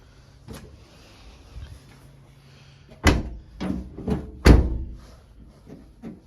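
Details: Second-generation Toyota bB rear hatch that knocked, after loosening two screws and shifting the latch bracket. Several solid single dull thuds as it shuts, each dying out cleanly with no loose rattle. Rear hatch closing without rattle.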